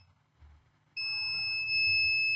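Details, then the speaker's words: Acer Aspire 3 A315-32 laptop motherboard, dead with no power: 19 V charger clicking indicates a short to ground, not at the charging port, probably after the two MOSFETs; meter gives a steady continuity beep, rail shorted. "yeah the power supply is clicking I can hear the sound of the power supply clicking that means somewhere somewhow we have a short to ground but the short is not on the charging port"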